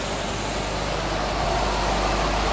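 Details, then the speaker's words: Electric motor test run after bearing replacement, cover still off: steady fan air rush with no grinding, rumble or growl; bearings now extremely silent compared to the old ones, normal running. "is absolutely no bearing sound now. Compared to the old bearings, this is extremely silent."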